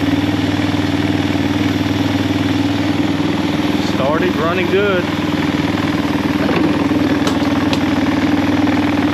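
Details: 1999 Honda Recon 250 after top-end rebuild, first running: steady even single-cylinder putter about four beats a second, no knocks or misses; idles cleanly, with some oil burning off.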